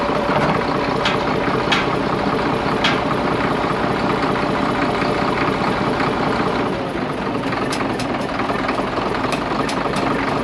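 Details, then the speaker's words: Diesel machine backing up, heavy chugging with an uneven, stumbling beat under a rough clatter; a steady dead miss as one cylinder drops out, with cylinders lacking proper compression and intense black smoke. "And you could hear the dead miss in the engine. Two things with that. One, you could hear it, and two, the amount of smoke, black smoke coming out of there was pretty intense."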